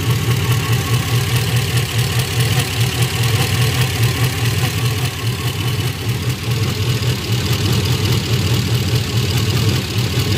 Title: Golgothas first run after rebuild